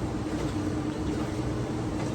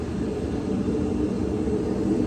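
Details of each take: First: Older Whirlpool Cabrio washer (WTW6200VW0), stator drive, after replacing shaft, bearings and tub seal to cure a roaring spin: only a low, smooth, steady hum through the whole spin, bearings now quiet and healthy. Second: Older Whirlpool Cabrio washer WTW6200VW0, floating drum with stator drive: heavy, steady low roar during spin, growing louder, from shot tub bearings; bearings, shaft and tub seal replaced.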